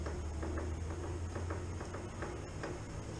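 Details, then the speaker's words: Motorcycle after axle retorqued and belt adjusted, being moved around: faint uneven light clicks about every half second from the rear brake mounting assembly, which is too loose; owner questions why since axle was torqued. "don't know if you could hear that but what that is is uh the whole mounting assembly right here for the rear brake it's uh just a little bit loose a little bit too loose if you ask me"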